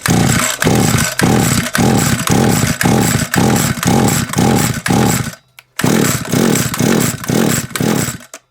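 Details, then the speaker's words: SGS Engineering 26cc two-stroke strimmer; repeated pull-cord strokes, each a short churning burst, with no catch; it fired once earlier. Cranks but won't start; no spark found. "we've definitely not got sparkling i mean that would have gone by now yes this is at it nope no spark baby"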